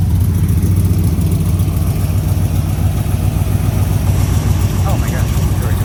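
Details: 1972 Corvette, 383 stroker with aluminum heads and intake, Holley carb, Muncie 4-speed, recently restored: deep loud lumpy burble through open Dougs side pipes, steady and strong; healthy normal idle.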